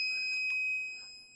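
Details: Rotax 185 ignition setup, points timing set with a dial indicator at about 0.146–0.147 in, buzz box connected: a steady, high-pitched buzz holds for most of a second then fades, indicating correct ignition timing.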